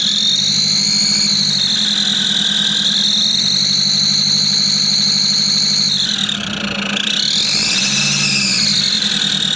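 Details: Nissan Patrol Y61 3.0 L at idle: loud, high, steady whistle drifting slightly in pitch and dipping once; engine whistle the owner cannot locate, heard before searching for its source.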